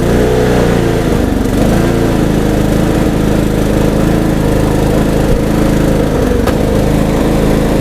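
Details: Troy-Bilt Bronco riding mower, after long storage, with new carburetor replacing dried-up one and new battery: small single-cylinder runs steady and even with no misses or knocks; sounds healthy.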